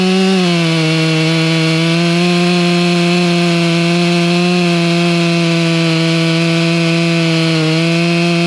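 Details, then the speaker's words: Brand-new stock chainsaw cutting a Norfolk pine stump, last cut before modifying the saw: steady high buzz under load with slight dips; running strong but unmodified, owner says it needs help. "it's one of the last times I'm running a stock saw Goodness Me it needs help so we're gonna fix that"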